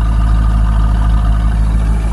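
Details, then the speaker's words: 2003 Corvette C5 V8 idling while warming up after a new water pump install. A deep, even rumble with no squeal or ticking. After about 15 minutes there were no leaks and no squeaks, so normal idle. "so we're cranking along pretty good here car's warming up but you can see it's there belt still not squeaking that's cool"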